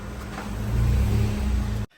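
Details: Maruti Celerio AMT with gearbox noise complaint, final check after repair and coolant refill: deep, steady engine rumble, no clunks or grinding; runs healthy.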